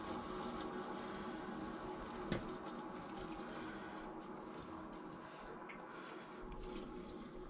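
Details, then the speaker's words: Central Boiler CL 6048 outdoor wood boiler after replacing a failed Taco 007-F5 circulator pump, valves slowly reopened: constant hissing, gurgling water rush with one short clank as air is purged after the heat exchanger seal was broken. Air in hydronic lines. "So obviously, as you can hear, we're purging the air out since we broke the seal on that heat exchanger. So all the air right now is coming out."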